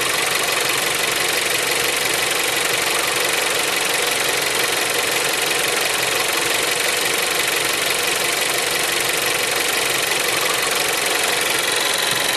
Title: bruit moteur au ralenti leon 3 (5F) tsi 140